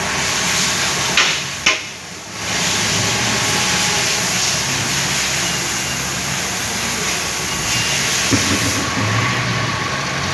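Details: Toyota Calya/Daihatsu Sigra engine idling, after rough noise traced to faulty water pump: even, steady idle with no knocks, misses or rattles under a layer of hiss; normal idle.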